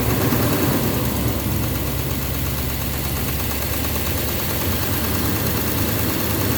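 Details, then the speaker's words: 2009 Silverado 3500 Duramax LMM diesel, 59,900 miles, cold-start morning, idling in gear with brake held: heavy rough knock riding the idle, louder than in neutral; suspected engine/bottom end, injector or cracked flexplate considered, oil analysis clean; unconfirmed. "It's still there in neutral when I first started this morning, yeah. But obviously once you put it in drive or reverse, it's very loud."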